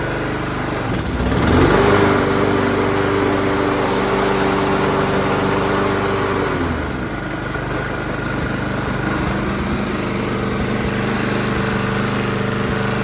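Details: 2011 Toro Personal Pace 20333 mower, B&S 190cc, after carb rebuild, new plug and coil re-gap (previously wouldn't stay running): brief rev then steady governed speed, even and smooth; healthy normal running.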